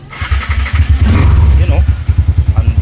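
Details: Keyless motorcycle after troubleshooting a no-ignition, no-fuel-pump fault (10-pin connector wire unplugged, spark plug cap reconnected, same ECU): engine catches and settles into a steady even low thump about three and a half beats a second; starting and running normally.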